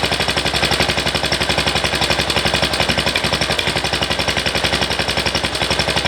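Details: MTD ride-on mower engine after carburettor rework, idle raised slightly: quick steady chuffing with no hunting or dropouts; surging fixed, idles smoothly.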